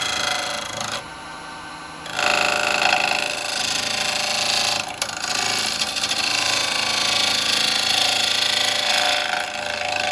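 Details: Hollowing a walnut burr bowl on the lathe, taking off high spots: rapid uneven tapping about four times a second through the cutting hiss as the tool bounces, showing high spots still remain.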